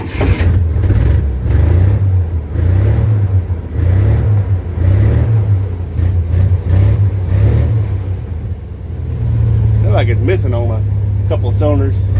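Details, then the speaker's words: 1962 Dodge M37 that sat 40 years, running on an improvised fuel feed, plugs and wires still to fit: low, lumpy loping idle that smooths slightly as revs settle. Rough idle. "I still got plugs and wires to put on it, too. Hey, there we go. It's idling."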